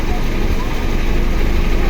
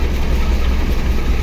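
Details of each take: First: Car converted to run on gas (BBG, two-line system), running only on the idle line after adjusting the idle opening: steady, even idle with a low smooth hum, no hunting or stumbling; idle correctly set. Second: Car converted to run on gas (BBG, two-line system), idle only on the idle line: low rumble that wavers and pulses, rough lean idle, engine shaking and near stalling because the gas idle opening is set too small.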